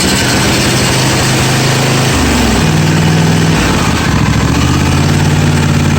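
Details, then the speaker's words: John Deere 155D lawn tractor, 22 hp 724cc engine, reported intermittent crank-no-start after sitting two weeks: fires straight up and settles into a steady, smooth idle. The fault could not be replicated. "fire right up Bo that's not good let shut it off all right I was told crank no start nothing but no we have have a problem because we cannot replicate the issue"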